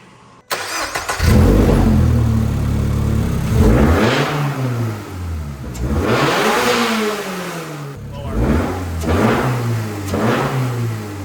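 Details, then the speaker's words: Toyota GR86 with catback exhaust, otherwise stock engine, factory intake (205 whp): quick throttle slams rise and fall cleanly, slight induction suck on each stab under exhaust noise. Healthy free rev. "You do hear a little bit of induction noise when you just kind of slam the throttle really quick. Hear it sucking that air."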